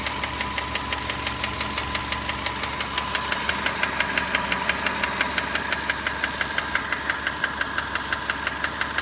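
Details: Car with 45,000 km of ownership over 4 years: sharp, even metallic ticking about three per second at idle that never fades when warm. It persists after a valve cover gasket and spark plug job with valve clearances adjusted to spec; the source is unknown.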